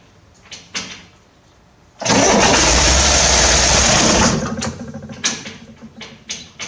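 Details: 1968 Corvair with newly installed mechanical fuel pump: engine cranks, catches with a loud roar for about two seconds on primed fuel, then dies back to cranking; fires briefly but won't keep running after the fuel is used up.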